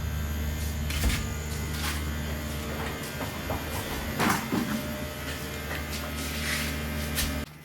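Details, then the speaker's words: Solar ice block machine, second unit converted to a DC compressor, running smoothly with an even low hum under some clatter and knocks, no surging. "So you can hear the sound. The engine is running smoothly. We have also installed DC compressor and it's working."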